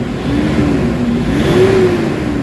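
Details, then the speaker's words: Toyota Hilux D4D diesel with low power, throttle delay and turbo actuator issue (codes P0102, P0108, P0113), after XADO engine treatment; revs rise smoothly with even drone, now pulling strongly near 1,000 rpm instead of 3,000: normal revving. "Ayan, kanina yung galit na yun maririnig mo sa 3,000, pero ngayon maririnig mo na into 1,000."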